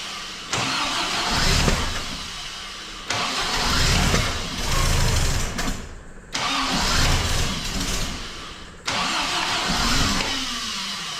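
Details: MGB engine, first start after major overhaul and supercharger fitting, no coolant yet, run about 40 seconds: several short crank-and-catch bursts dying after seconds, never settling; hard starting, rough running, needs adjustment, some smoke.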